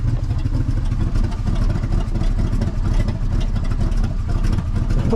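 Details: 1964 Chevy C60 grain truck with a 327 V8, long sitting, just started: a deep, loud, uneven rumble with a raw unmuffled bark. One exhaust pipe is falling off and sounds disconnected; it may be running only on fuel left in the carburetor.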